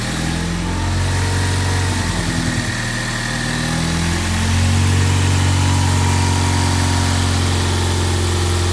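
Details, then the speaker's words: Rebuilt Ford EcoBoost at first startup: deep, slightly uneven drone that wavers before settling; valve timing slightly off because the crank wasn't on the crank stop pin at top dead center, later retimed. "so I decided to go ahead and pull it apart and retime it which the issue was I didn't put the crank on the crank stop Pig which is what you have to do when you time it to make sure everything's at top dead center I didn't do that it was slightly off"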